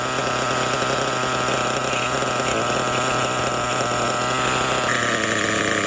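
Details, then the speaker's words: Kyosho Foxx 2.0 nitro RC truck (3-speed, 4-wheel steering) on first start-up after rebuild, engine not yet broken in; steady high buzz whose tone drops as it loads, clutch seemingly engaging too early even at the lowest throttle before stalling. "the motor feels good but the clutch seems to be engaging still i mean i am at the lowest possible throttle setting before the thing shuts down"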